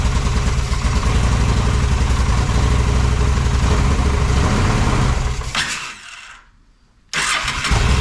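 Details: Honda Shadow motorcycle (possibly a 650) that sat almost a decade, choke on, bad gas being cleared: engine runs lumpy, fades and dies, catches again, only keeps running while fuel is sprayed in; carburettor valve seems vacuum-operated, likely fuel-starved carb.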